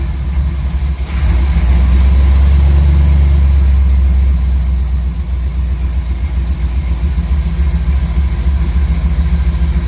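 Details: Chevy C10 V8 truck on a new Maxpeedingrods Quadrajet carb: deep, steady burble with a brief rev lift early, then an even, smooth idle. Idle screw was turned up quite a bit and mixture set to about 15 in of vacuum on a gauge. Normal idle.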